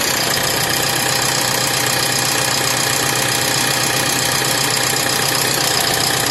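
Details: BS4 diesel engine: harsh, loud, steady idle with a fast, rough knock running through it; abnormal engine knocking, source unclear.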